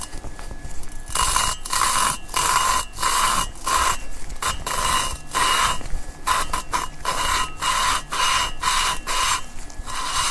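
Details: Lapping valves with lapping compound on a VW 20-valve AWP cylinder head: rhythmic gritty rasping strokes about two a second, still coarse and scratchy, valve seat not yet fully mated.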